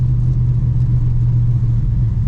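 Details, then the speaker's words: 1966 Pontiac Grand Prix barn find, 389 V8, automatic, rebuilt carburetor, driving: deep, lumpy rumble with blubbery uneven edge, one side loading up with far too much fuel; float setting suspected, one muffler blown out. "it's just loading up on that side oh yeah way too much fuel"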